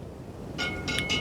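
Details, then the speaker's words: Honda GL1000 Goldwing wheel being relaced, new spokes only barely tensioned, wheel spun against a crocodile clip on a soldering stand: quick light scrapes with metallic ticks at points per turn; rim slightly distorted, out of true. "when I spin the uh the wheel you can hear what's going on there the rim is slightly distorted um and catching on that crocodile clip uh in certain place"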